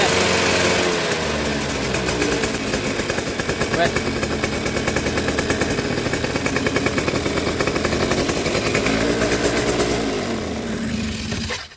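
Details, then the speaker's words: Suzuki RC two-stroke motorcycle held at high revs with the plug lead pulled away from the plug; crisp continuous buzz rising and falling without stumbling or cutting out, showing normal ignition spark. "ya teman-teman bisa dipahami caranya seperti ini bila digas tinggi motor tidak cedot-cedot Walaupun ini terlepas itulah api yang harus seharusnya itu normal ya"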